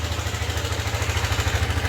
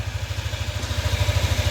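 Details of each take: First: Yamaha NMAX V2 scooter: steady idle thump with a loose metallic clatter on every beat, reportedly louder on a cold start and slightly quieter when warm. Teardown found a crushed cam bearing. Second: Yamaha NMAX V2 scooter after repair of a crushed cam bearing that caused a cricket-like chirp, plus radiator hose, thermostat and water pump work: small even ticks at idle, no chirp or rattle; quiet, healthy idle.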